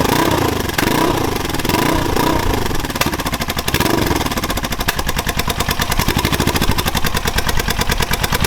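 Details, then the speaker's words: Suzuki GS500 scrambler, first start with new homemade turbo headers and collector fitted, outdoors; rough uneven firing with sharp irregular pops and bangs over the revs, fuelling not tuned for the exhaust, carbs probably need balancing, turbo spooling audible. "so okay so she pops and bangs a lot you know it's going to be expected because it's not tuned to have this exhaust system on it at all the carbs probably need balancing and all sorts yet"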